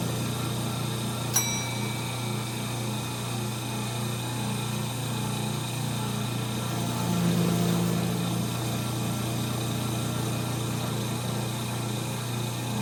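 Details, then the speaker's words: 1930 Gilbert and Barker model 106 clock-face gas pump, after a WD-40 restoration, pumping fuel: steady low electric hum, constant drone holding level throughout; motor super smooth with good flow and pressure, normal running. "The motor sounds super smooth. Woohoo! Check it out. Wow. This thing has some flow and pressure."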